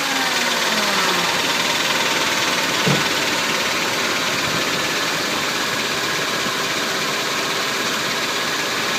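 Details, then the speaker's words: 2000 Toyota 4Runner 3.4L V6 idling with a light tick about three a second, heard from underneath where transmission meets engine; goes away above about 1700 rpm and when warm in park. "this is from underneath the car it seems to be coming from where the transmission and the engine meet it goes away when revved about above about 1700 rpm"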